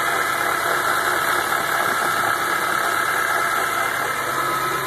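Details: Rough idle on a 2004 BMW E46 M3 an hour after a short drive: uneven, stumbling beat about four pulses a second over a dense hiss, sputtering when pressing the gas, Service Engine Soon light on, with a vibrating sound heard.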